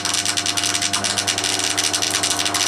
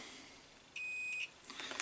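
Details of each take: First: Crompton Parkinson 180 W single-phase induction motor, bought from a scrapyard, bearings just oiled: mains hum with a fast uneven rattle from one end; shaky running noise, possibly from a loose pulley. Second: Crompton Parkinson 180 W single-phase induction motor, cover off, meter on coil: one steady high-pitched half-second beep as probes touch; continuity through the winding, about five ohms.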